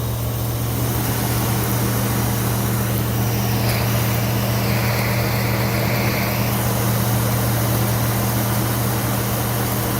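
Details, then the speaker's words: 1964 Ford Thunderbird V8 just after distributor replacement, plug wires moved one position and cap turned, timing being set: started instantly, steady even low burble with no misses or knocks; smooth healthy idle. "started instantly right up uh you can hear it's running smooth"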